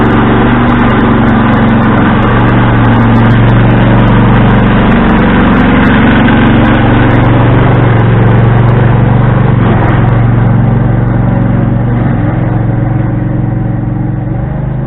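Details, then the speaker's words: Husqvarna riding tractor: loud, raspy, steady running at about four pulses a second with no miss; racket comes from a broken, damaged exhaust left unrepaired. "so and yes the exhaust is broke i do not care to fix it the quiets up over time"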